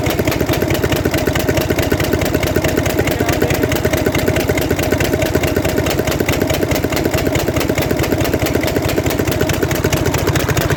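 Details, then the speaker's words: Mercedes Actros six-cylinder truck diesel idling: sharp regular firecracker-like bang every cycle from cylinder number three; noise stops when that cylinder's component is disconnected, indicating a fault in cylinder three. "जब इसका answer खोला तो उसमें एक पटाखे की आवाज की बहुत ज्यादा नंबर तीन में"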